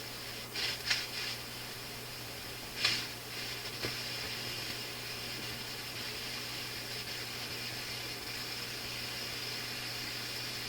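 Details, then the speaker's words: Philips console stereo tube receiver on first checkout, line voltage low and being raised, no tubes touched yet: steady speaker hiss broken by sharp crackles; crackling output, cause not yet traced. "I haven't wiggled any tubes or done anything yet. You hear some crackling. Oh, this is not very good."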